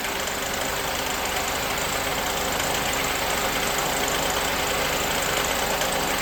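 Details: 1988 Mercedes 560 SEC (W126) V8 idling with an uneven knock, roughly three per second, over the engine note; knocking grows louder until the engine had to be shut off. Knock, cause not yet identified.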